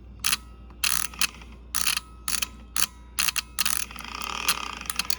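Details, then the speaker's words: Bosch 3-channel ABS hydraulic unit from 1989 Mercedes 560SEL, bench test: after right-front valve relieves pressure, pump motor pulses in short sharp buzzing bursts, about ten in five seconds, then a longer run, returning fluid normally. "So we relieved the pressure on the calipers and it returned this, and then normally the pump comes in like this. It pulses it"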